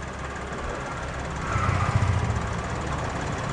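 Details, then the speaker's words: 2016 Suzuki Karimun Wagon R GS, at idle with AC off, checked before buying used: very smooth, even idle with a steady soft pulse, no knocks, ticks or rattles; normal healthy engine. "suara mesinnya sangat halus Hai kebab Hai pemisahan wes dekatkan jadi tidak ada suara-suara secra taupun suara yang lain suaranya sangat halus"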